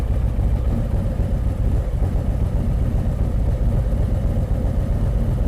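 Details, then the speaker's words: 2023 Harley-Davidson Street Glide ST Stage 2 (CR483 cam, Bassani header, ThunderMax) idle tune approaching 180°: deep loping idle, steady even pulses, no pinging or popping; everything where wanted, normal idle. "All right, we're approaching 180°. Everything is still just right where we want it."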